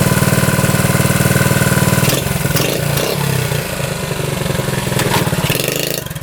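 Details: 1972 Honda CT70 single-cylinder, all-original auction bike being revived after a bogging issue, idling with all lights working, running well with no smoke, headlight on; quick, even putter with a brief mid blip, settling smoothly; healthy normal idle.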